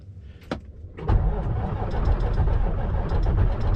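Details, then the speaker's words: Kenworth K100E Aerodyne cabover diesel, cab jacked up, cranking after fuel filter swap and screen clean with fuel poured back in; a few clicks then rough, uneven churning, slow to fire. "If it'll fire up, because I had swapped that filter, dumped the fuel back in there, and I pumped a little bit over because I could hear some dripping down, so we'll see."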